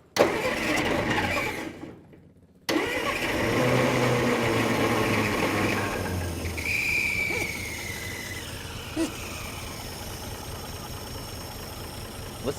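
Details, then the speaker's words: 1949 Plymouth Special Deluxe straight-six, first crank after 30 years sitting: cranks, stumbles, then limps along very quietly with thin whistle, barely making noise; more choke or air cleaner restriction wondered about. Weak, barely running engine. "to that it's barely even making noise does it want to be choke more"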